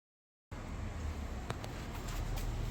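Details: Newly installed SEAFLO water pump running with water spraying. Low, steady bass hum with no tinny high frequency; the old pump's tinny sound was possibly from its bulkhead bracket mount despite rubber washers. Running smooth.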